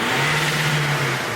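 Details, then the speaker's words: Diesel VW Golf with 200,000 miles and a newly welded-in cheap valved aftermarket exhaust, valve open: short rev with a deep booming drone that rises and holds, loud and open; valve working. "Holy shit. So that's open. No, it actually works."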